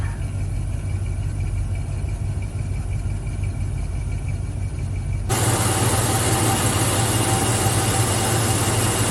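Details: 1971 Mopar (Chrysler V-compressor) A/C, empty for years and just refilled, engine running with temperature at 80 and Max AC with fan on: steady even low idle, louder rush as A/C and fan come in; compressor running normally, air feels cold.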